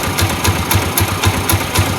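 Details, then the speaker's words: Rusi Macho TC150 single-cylinder motorcycle warmed up after its first tune-up: even, steady idle of about three and a half soft thumps a second, no knocks or misses; running clean. "So yun na guys, no? Yan yung tunog niya. Sound check tayo ngayong na-tune up na siya,"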